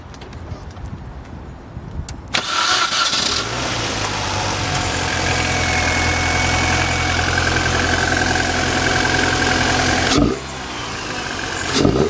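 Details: 2005 Mini Cooper (R50) just after a cold air intake install: brief crank, catches cleanly and settles into a steady, even idle with a throatier intake note; healthy running.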